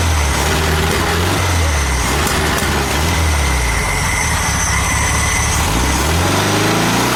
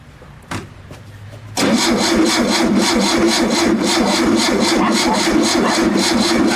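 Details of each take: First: VW Super Beetle air-cooled engine, cold, just started with a trigger starter after reassembly and an apparently new carburetor: settles into a steady, even idle with a smooth low beat and no misses or knocks. Normal idle. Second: VW Super Beetle air-cooled engine cranked with a trigger starter after reassembly: even chug, about four beats a second, but it never catches. There is no spark; the points are suspected dirty and removing them restored spark.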